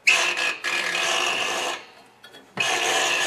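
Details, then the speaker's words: New MTD snowblower, engine off, spark plug cap disconnected, impeller turned by hand: short scraping rubs with faint squeak persisting after WD40; normal auger brake rubbing the auger belt pulley when the lever is released, a safety feature. "and that was the noise he was wondering about well that's perfectly normal to hear that sound what causes that noise is there's a break that when you release the augur lever it rubs against the augur belt pulle"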